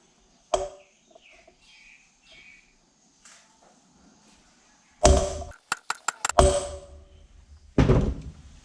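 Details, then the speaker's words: Keeway Superlight 200 rebuild, fitting the front wheel's small hub bearings, which had been chilled for hours. Sharp hammer blows each leave a clear, lingering metallic ring that signals the bearing is fully seated. "you can hear the ring that tells me the bearing's seated"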